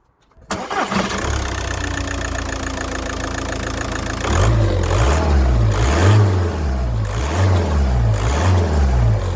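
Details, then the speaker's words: VW Golf Plus 1.9 TDI 90bhp diesel, started with the auxiliary belt removed: even, quiet idle with no squeal or chatter, so the earlier noise is traced to a pulley on the air-con, alternator, idler or tensioner, still to be investigated. "okay the noise has gone so it's got to be a pulley um either the air con or alternator or indeed The Idler itself or the solid the tensioner so I shall investigate a bit further"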